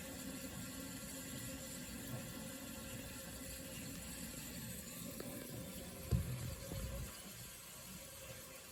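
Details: Vintage Sears Coldspot 28 dehumidifier just shut down after running; soft watery gurgle and hiss slowly fading after compressor stops; normal refrigerant pressure equalization after shutdown.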